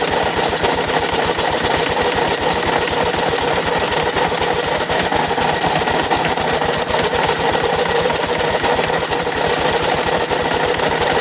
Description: 2006 Kawasaki KLR650, done 25000 miles with regular oil changes etc., has suddenly developed a very noisy engine.... but it still got me home!